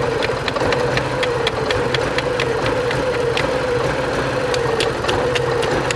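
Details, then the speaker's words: 1987 Porsche 924S after a new Bosch fuel pump: lumpy, uneven idle with light ticks, a cylinder seemingly dropping out, likely not firing on all injectors; it cleans up a little as it warms. Dirty injectors suspected, and an oil light flashes despite good oil pressure. "i don't think we're firing on all the injectors actually let's check make sure we're not leaking anything i don't see nothing but we are missing hardcore oh it's trying"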